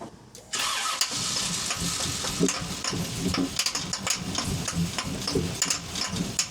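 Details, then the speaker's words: Tow truck after swap from 5.3 LS to a built 6.0 LQ9 (cracked block issues), first start relearning fuel mappings: catches then runs unevenly with pops, surges and hunting idle; rough running, cause unknown. "That sounds horrible. What the is that?"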